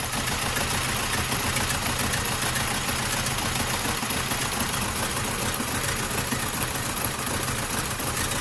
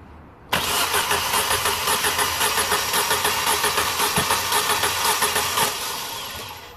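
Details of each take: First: 2006 Vauxhall/Opel Astra H Z14XEP 1.4 petrol dual-fuel, run on petrol mode, idles rough with a lumpy stumble about twice a second. Bad misfire traced by compression test to a low-compression cylinder. Car sometimes stalls. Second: 2006 Vauxhall/Opel Astra H Z14XEP 1.4 petrol (dual-fuel, run on petrol) with misfire: even starter cranking about two beats a second during compression test on cylinder 1, holding about 175 psi, acceptable.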